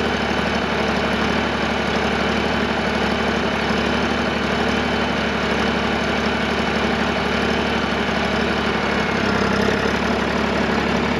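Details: John Deere 350B crawler dozer diesel, cold, after 2 days sitting: smooth, even clatter at steady idle, no knocks or hunting; idling healthily and sounds real good now.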